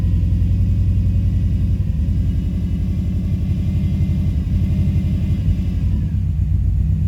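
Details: 2005 Subaru Forester XT after an idle adjustment; codes show a blow-by function problem and a P21xx code, owner concerned about blow-by, earlier a coil miss and suspected rich running. Low rumbling idle with an uneven, loping pulse; rough idle, cause unconfirmed.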